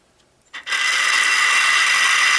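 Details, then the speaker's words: Minn Kota GPS saltwater trolling motor's turning-housing motor running on the bench, also in reverse: a harsh, steady gritty whir and grinding from worn, rusted, corroded gears. The motor is near failure. "It's grinding like crazy. This motor is on its last legs, and I just barely got it going today again."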